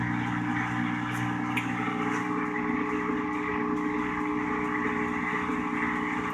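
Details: Whirlpool washer with all-lights-on fault, in diagnostic test mode: drain test run because water remained in the tub before low speed spin test; steady even hum of constant pitch, no rattles or grinding. Drain pump normal.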